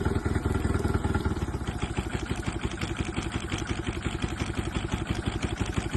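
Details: Honda engine at idle: uneven, stumbling beat, roughly three pulses a second with irregular gaps and dropouts, like a cylinder missing; misfire, cause not confirmed.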